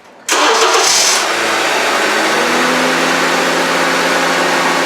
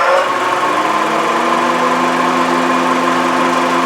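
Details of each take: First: 2011 Honda CR-V after AC compressor replacement and system recharge: the starter whirs briefly, then the engine settles into a smooth, quiet, steady idle with no racket. Normal start and idle; the noise is gone. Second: 2011 Honda CR-V, engine running: loud steady whirring rumble with constant droning tone, audible inside even with the radio up; AC compressor replaced.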